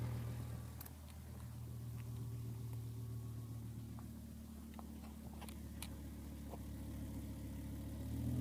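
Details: 2007 BMW M6 with S85 V10 at idle: deep steady drone with a faint thin whine above it, not the normal VANOS rattle.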